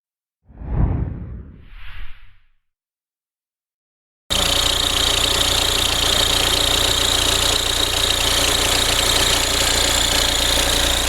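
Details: Audi A4 B6 1.9 TDI diesel at idle: a regular light rattle, about three to four per second, over a hissy metallic whir, caused by a worn belt tensioner.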